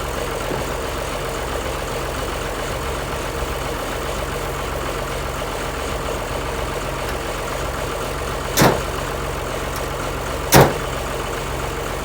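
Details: 1955 White (rebadged Oliver 1955) diesel tractor idling after jump-start from a Land Cruiser ute: steady even low diesel beat, no knocks or misses, two brief clicks aside; engine runs healthy.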